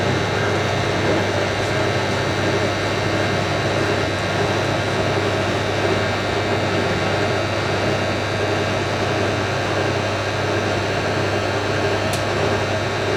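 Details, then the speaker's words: Hotpoint 9530 Electronic 1000 Plus washer, twin bedding load, after repair of burnt mains-lead neutral wire, final spin: even steady whir at high speed, no thumping or banging; balanced, smooth spin. "I'm amazed. I'm amazed at how smooth that is."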